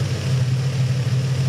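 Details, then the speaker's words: Infiniti G35 VQ35DE at idle after replacing the failed idler pulley, listened to through a breaker bar: smooth, even low hum with no whine or chirp, so the idler pulley now runs quiet. "it has no noise at all so I'm really stoked that I was able to diagnose and fix that really annoying whining noise in the engine bay"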